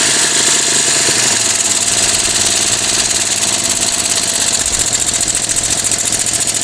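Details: Moto Guzzi twin, first start in over ten years after new carb parts, cold engine on choke, no throttle fitted yet, smoking from oil put down bores: catches and settles into a fast, slightly uneven patter with a hissy top end; normal cold running on choke.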